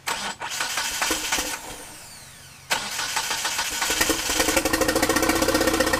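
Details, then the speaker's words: 1997 Eclipse GSX with 95 ECU and 2G wiring: even cranking through two attempts without firing; crank no start, suspected timing or cam angle sensor issue. "so now I definitely think it's a timing issue and I got to figure out the camera angle sensor"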